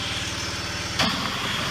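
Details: Generac pressure washer after fixing an unloader spring assembly stuck open that made the pump bypass constantly: steady, even engine drone with a smooth low pulse and brief spray hiss; it now builds pressure normally.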